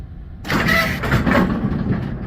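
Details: GSX bowling pinsetter on lane six, after sweep wagon shock replacement and pivot lubrication: machine kicks in with a short mechanical clatter and runs its cycle with no squeak; sweep operation sounds normal.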